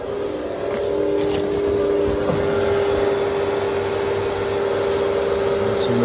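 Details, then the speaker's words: Cummins diesel truck with big fuel pump setup (Y fitting, return line, fuel filter housing, CP3), power on after new fuel filters, no leaks: steady even mid-pitched hum of electric lift pumps priming normally, fuel pressure 18. "go loud so we got fuel pressure it should sounds like a dinner yep 18"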